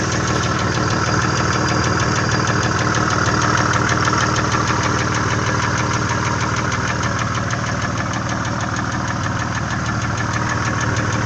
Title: VG30E стук гидрокомпенсаторов и клапанных кулачков